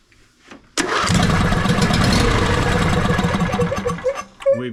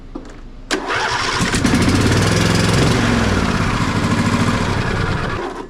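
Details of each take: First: John Deere D130 riding mower being diagnosed for slow cranking, spark checked: brief crank, then fires right away without choke and runs strong and steady with no stumbling; normal start. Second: John Deere D130 riding mower: after a brief run, repeated starter bursts whirr and stop dead on compression; dealer blamed the low-speed compression release, mechanic suspects excessive valve lash instead.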